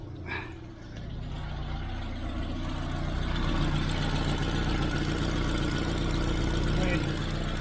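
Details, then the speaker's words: Austin Allegro petrol engine with new fuel pipes and filter and a mechanical lift pump, running a while to check for leaks. Steady, even, smooth low hum idle with no misses, knocks or hiss. Normal idle. "right the car has been running a while while i'm just fighting about with the lights"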